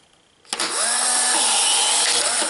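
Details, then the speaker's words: Polaroid 600 series camera with a new cartridge just loaded: after a click, a short high whirring motor runs about two seconds with a slight pitch wobble as the protective cover ejects by itself; normal dark slide ejection. "ya removió por sí sola el protector que habíamos dicho."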